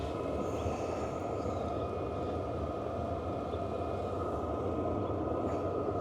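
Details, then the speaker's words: Vevor diesel heater, about a year old, powered by a Bluetti AC70 power bank and heating a CVT Mount Hood rooftop tent, starting up: steady rushing turbine-like roar with an even whine, no popping or sputter. It lit normally after earlier shutdowns with an E01 low-voltage error. "kind of hear it kicking off over here sound of like a a"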